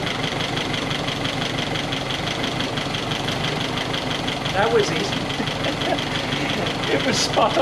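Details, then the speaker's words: 1961 Triumph TR3A at idle after fitting a replacement Pertronix distributor with integrated electronic ignition; steady, settled idle with an even beat, no pinging or stumbling; timing mark stationary at top dead center, exactly four degrees; running cleanly. "right away so if you can see the timing mark stationary um where it should be at top dead center that means that your timing's right and we are exactly at four degrees"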